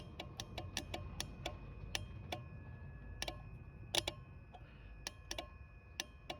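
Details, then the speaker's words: Citroën Xantia Activa V6 ES9J4 194 hp no-start, simulating ECU ground on pump control circuit: sharp uneven relay clicks with no fuel pump hum following; pump runs when wired direct, owner suspects tired connector. Relay clicking, pump not running. "on entend bien claquer. claque mais il se passe rien."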